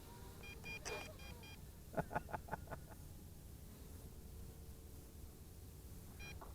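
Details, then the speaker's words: MJX Bugs 8 Pro 250-size brushless FPV racer on a 3S battery: bursts of short, high-pitched beeps over faint motor hum as the transmitter's telemetry warns the drone is flying too far out, near its range limit. "too far out I hear it you hear those little beeps let me know I'm going a little bit too far"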